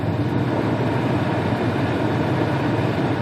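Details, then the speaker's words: 2004-08 Pontiac Grand Prix heater blower on high, engine running, after repairing the blower motor resistor, possibly only a temporary fix; blower motor itself still due for replacement: strong steady rush of air, no ticking, squeal or wobble; normal operation. "oh yeah that is a working heater full"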